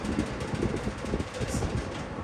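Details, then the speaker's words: Vintage McGraw-Edison box fan, model 204002, two-speed, on low: low hum with loose uneven buzzy rattle over the fan; grill rattle, possibly needing balancing. "Yes, grill's rattling. It might need to be balanced."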